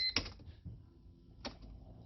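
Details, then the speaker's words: 2004 Mercedes C230 Kompressor with a no-start: the key is turned and the fuel pump is heard running, then one sharp click with no cranking. A signal was verified at the starter, and the faulty starter motor was replaced. "I can hear the gas pump going. I hear no crank. All I heard was a click for the first time."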